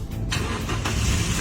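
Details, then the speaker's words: Car that would not start, after cleaning iron filings off a reinstalled part: short crank, then catches promptly and settles into a firm, even run; normal successful start. "look started successfully the power is also very strong"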